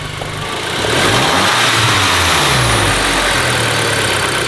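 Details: Golf GTI revving up after clearing about 26 fault codes from a dead battery: holds a steady, even note with no idle hunting; owner assumes an electrical fault, maybe the mass airflow sensor; smooth revving.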